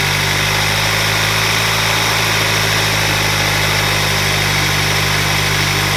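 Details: 2021 Hyundai Sonata N Line turbo four after DIY Sxth Element turbo inlet install; steady, even idle with a smooth low hum, no knocks, ticks or hunting: normal idle.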